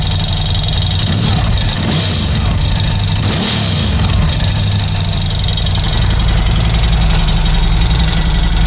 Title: Piston Slap Ducati Scrambler 1100 Special 2018 - Before replacing the horizontal cylinder and piston